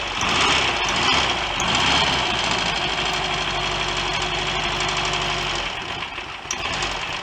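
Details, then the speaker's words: Rebuilt Royal Enfield Constellation 700 twin, running after worn, wrongly fitted magneto points were fixed: even twin-cylinder beat at fast idle, steady and smooth with no knocking or rattles; the rebuild sounds good, running normally. "credit where it's due i didn't rebuild this engine but i think whoever did probably made a pretty good job of it judging by the sound of it"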